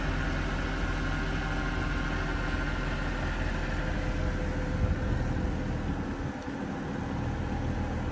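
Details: Mercedes M156 V8 petrol engine after camshaft adjuster replacement: smooth idle with a steady low rumble and no ticking.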